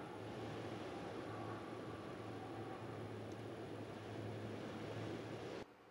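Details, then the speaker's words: MAXX Fan Deluxe roof fan in a Winnebago Revel that squeaked at low speed, after replacing its motor bearings (608Z with 608-2RS), running at 40%: steady soft whoosh of air with a low even hum, no squeak from the motor. "zero noise now coming from the motor I mean I can hear the fan running I can hear the air moving but there's no noise from the motor itself"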